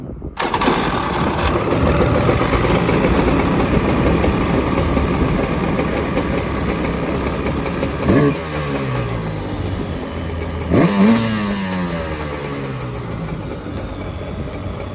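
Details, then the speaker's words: Jet Jon two-stroke jet boat engine, test run out of the water after a Mikuni SBN 38 carburetor rebuild: runs steady and strong, with two crisp blips rising and dropping back cleanly before shutdown, good throttle response; jets may still need adjusting on the water. "that sounds very promising. We still may have to adjust the jets when we're on the water to get it to run just right, but that throttle response was perfect."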